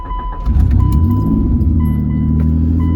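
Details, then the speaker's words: 2003 Mitsubishi Eclipse GTS six-cylinder after repairs, cold start; it earlier logged a cylinder misfire code. The engine catches and settles into a deep, loud, even idle with no stumble, all six firing, sounding more powerful and muscular than ever. "It's never sounded like that before, I'll tell you that much. I'll give it some revs when it warms up a bit. Sounds pretty good, sounds more muscular."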